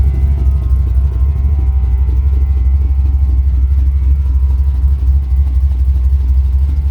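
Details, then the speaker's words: 1985 Dodge Ram D150 with carbureted 408 stroker V8, air grabber open: deep idle with an uneven, choppy big-cam lope about twice a second, running clean with no miss. "you sure hear that cam can't you"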